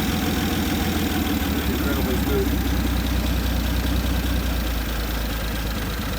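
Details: 1950 Nash Statesman, first run in 23 years, on 12 volts because 6 volts cranked too slowly, via jumper cable because the floor starter switch is seized: steady low idle, soft even beat about 150 pulses a minute, no knocks or misses; runs smoothly.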